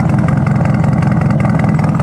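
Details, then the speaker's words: Nissan 240 after a street-drift crash, cold: uneven, lumpy low idle with irregular pulses as it struggles to run. A new engine mount and probably a transmission mount are planned. "she's having a hard time running right now. It's cold,"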